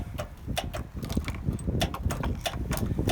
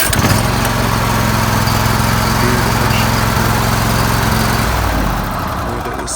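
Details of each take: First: Zero-turn riding mower: sharp clicks about three a second with no cranking; the engine won't start, the starter is faulty and gets replaced. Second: Zero-turn riding mower engine after starter replacement (it previously wouldn't start, only clicking): runs at a steady, even pace, then winds down near the end.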